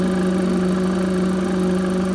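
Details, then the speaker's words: Engine running with a constant, unvarying low hum or whistle from the crankcase ventilation area; owner has long-standing PCV valve problems. "It kind of makes that noise, like obviously you can hear the noise coming from here, but the PCV system is kind of all under here."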